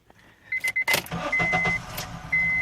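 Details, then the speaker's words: 2005 Honda CR-V four-cylinder that had misfires on cylinders 1, 3 and 4 and would not start; after new spark plugs, coils tested at 0.9 ohms and codes cleared, it cranks briefly and settles to an even idle: normal start. "she cranks she's good she's happy"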